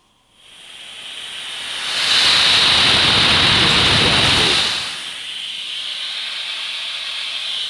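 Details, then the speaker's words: Gas blow torch with both valves opened and unlit: sharp steady hiss swells in, holds loud, then drops to a softer ongoing hiss; gas escaping from the open valves. "And what is this sound? Gas leak sound. Now I open that. Now, and then I open that also, and then we can hear this sound."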